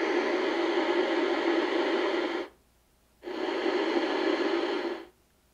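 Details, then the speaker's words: 1970 Inoue IC-2F crystal-controlled 2-meter mobile radio (pre-ICOM): steady receiver hiss cuts out abruptly twice as the volume knob turns, then returns. Dirty volume control. "oh now we got dirty control there you hear that it's gonna get more volume out of it here"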